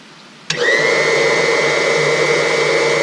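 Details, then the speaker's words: Replacement cabin water pump just reinstalled with low-pressure auto shutoff, set to kick on at 20 psi after air worked out; sharp start then steady even hum and whine, no surging, rattle or leaks, running healthy. "is a good sound pump is running no leaks got it back installed up and running"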